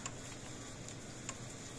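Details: Old PEL 609 electric fencer after board repair and new capacitors, just plugged in: quiet crisp single ticks roughly once a second over faint hiss, no crackle; quieter than before, transformer likely was arcing inside; tester reads about 7,000 V. Normal pulse.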